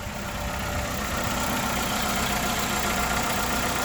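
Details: Ford Escort ZX2 (2001) four-cylinder running for the first time in months or years, low on fuel: settles into a steady, even idle with a faint whine, no knocks or misses; normal idle.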